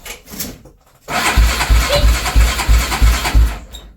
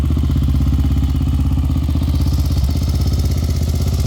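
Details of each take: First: Honda 400EX quad: the engine cranks in steady pulses about three a second and tries to fire with a loose slapping rattle; suspected stretched/worn timing chain or broken chain tensioner, unconfirmed. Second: Honda 400EX single-cylinder quad after replacing parts: a steady, even idle thump of about four beats a second, no clatter or misses. Healthy after the repair.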